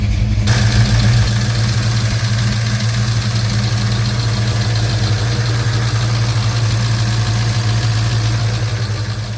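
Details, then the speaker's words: 1956 Chevy Bel Air 307 V8 on its first drive after a 4-year restoration: loud, deep idle with a busy, 1970s-diesel-like valve-train clatter and rattling. Lifters were already changed without effect; the cause was mismatched valve springs and retainers, and it is quiet after fixing them. "And uh I just kept saying, "It's loud. It's loud. It's loud. It sounds like a 1970s er era diesel engine." And there is something rattling around."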